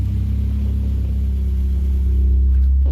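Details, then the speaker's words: Big-cam engine in a mud pit, idling smoothly after the idle mixture was leaned out: low, even, slightly lopey rumble with no misses at 17 in vacuum. Battery charger is off and it is not charging until revved. "hey after a little fussing around she's running pretty good had to lean out the idle mixture and uh smoothed right out"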